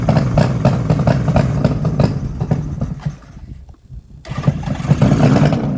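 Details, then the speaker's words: 1972 Suzuki GT750J two-stroke water-cooled triple, 35k miles, on a cold start with choke: an uneven, popping beat near three and a half pulses a second with a raspy chuff; the exhaust crossover pipe looks to have come out, probably causing most of the leak noise. "if you can see the crossover looks like it's actually come out right there which is probably most of the noise"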